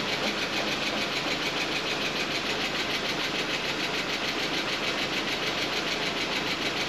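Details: Audi A4 driven over a mile with no oil after a quarter-size oil pan hole, pan patched, refilled, first start: steady, even idle, bright busy top end, no deep knock or rattle; sounds healthy.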